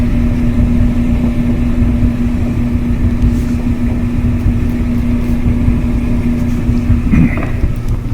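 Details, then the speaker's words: Kenmore dryer after replacing drum support wheels: steady low rumble and constant hum, no clicking, squeal or thumping, drum turning smoothly; normal operation after repair. "so now when we test it it's really smooth no clickety click sound it just sounds like brand-new"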